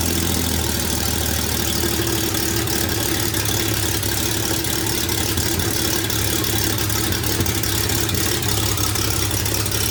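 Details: Toyota FJ45 with freshly rebuilt 1977 2F engine (new rings, bearings, shaved head, new carb, headers) and H55F 5-speed, break-in at about 1,500 rpm: smooth even fast-idle drone, no knocks or ticks; normal idle.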